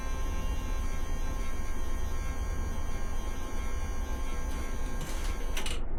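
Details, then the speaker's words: Ducati 750SS that sat for years, first power-up: the fuel pump gives a loud, steady, continuous electric drone with the engine not running and the engine won't turn over; cause unknown, owner suspects it may be trying to prime fuel. "For some reason, the fuel pump is very, very noisy. And at the same time, it doesn't want to turn the engine."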